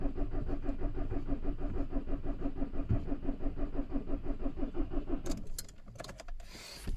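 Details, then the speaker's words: VW Caddy/Seat Ibiza 1.6 TDI CAYC diesel after cambelt and high-pressure fuel pump replacement, weak battery, pump primed, easy start sprayed: steady cranking about three beats a second for five seconds, never fires; crank no start. "it sounds like it's turning over right so everything's all good fingers crossed ah batteries no good um after all that is still doing exactly the same thing"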